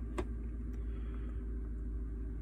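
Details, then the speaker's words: 2013 GMC Sierra 5.3 flex-fuel, still very cold, after repair: its P0172/P0175 rich codes came from the ECM reporting 53% alcohol when actual was under 10%. With alcohol content reset to 3 and trims at zero, it idles with a low, steady, even rumble and no knocks or misses. "they shouldn't take too long to to start switching yeah if it's already adjusting my fuel trim slightly and keep in mind this vehicle is still very cold"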